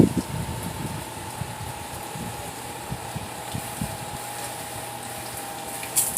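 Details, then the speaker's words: Generac pressure washer small engine after a new pump was fitted, tested outdoors with water hooked up: steady, even hum with no knocks or misses; works great. Owner earlier heard an engine rattle and notes a slight surge when spraying. "But yeah, you see it works good. Everything works good. Engine sounds good."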